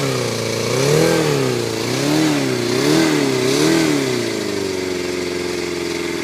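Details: Yamaha FZR250R four-cylinder first start after top end rebuild with new piston rings, valve clearances set and helicoils for head studs; revs cleanly in smooth blips and settles to an even idle, no ticks or rattles: normal running.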